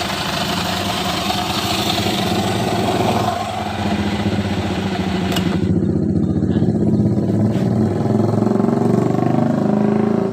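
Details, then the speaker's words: Honda Vario scooter after freeing a kickstarter linkage that was jammed too high against the fan catch and blocking the electric starter: engine starts on the starter and settles into a steady, even single-cylinder idle with no rattles or misses, normal. "Oke, kita kontak on dan kita starter mesin. kembali normal berputar."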